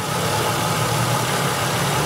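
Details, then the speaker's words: V6 at idle, cylinder five injector stuck closed (no pencil hump, high secondary spark line): steady idle with slight unevenness in its pulse; no-fuel misfire on cylinder five. "this fuel injector is stuck closed that's why we have a high spark line in our secondary waveform that's why we have a misfire on this car"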